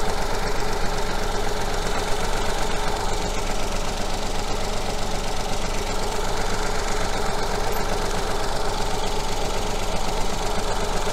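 Three-cylinder petrol engine idling lumpy and uneven, a rhythmic stumble from one cylinder getting no fuel.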